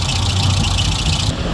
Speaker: Tignan nga natin yung ganda ng takbo ng makina. Oh, yan mga paps, oh. Napakatahimik yung makina natin.